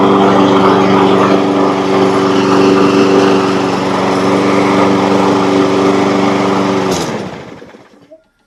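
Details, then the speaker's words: Rebuilt Briggs & Stratton mower engine with new piston rings: smooth, even high-pitched drone, no smoke or missing, then clean shutdown; running strong and normal after repair. "But with the new set of rings in it and the way that it's running now, strong, sounds like a new mower, no smoke, no missing, I've got confidence that this engine is going to last a really long time."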